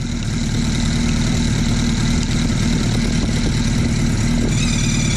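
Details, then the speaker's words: Suzuki Hayabusa engine idling with a steady high whine over the rumble as the crank balance shaft is turned too far, rattling first; misadjusted balance shaft gear mesh, reset about a quarter turn to centre between whine points. "So you're going to hear the engine whine when I turn this balance shaft too far. Don't worry, you're not going to hurt anything."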